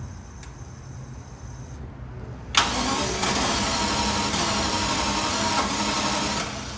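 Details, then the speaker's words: Jaguar XJS after repeated fuel pump priming: quiet cranking, then a sharp backfire pop as it catches into a rough, uneven run with dieseling; hard start, owner suspects fuel not flowing. "I'm going to do this about 5 more times and let's see if it starts nice and smooth like it should. We shouldn't have that backfire issue or that kind of dieseling sound."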